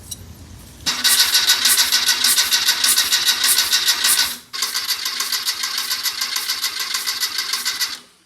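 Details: Porsche 914 Type 4 VW engine cranked on the starter during a compression test, plugs out: two bursts of even cranking, about three turns a second, no firing. Cylinder four reads about 135, the others about 118–120.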